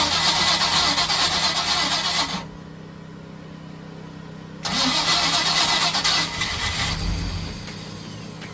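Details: Mercruiser 305 in a 1995 31-foot Silverton yacht, long-sitting engine with fresh oil and old fuel still in: two bursts of rapid cranking, about three turns a second, with no firing; owner suspects the old fuel or fuel pump. Crank no start.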